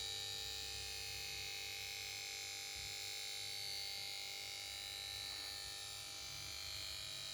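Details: Samsung PS42A410C1XBT plasma TV won't start: after standby and start-up melody, power board gives steady high-pitched whine with faint hum underneath, unchanging.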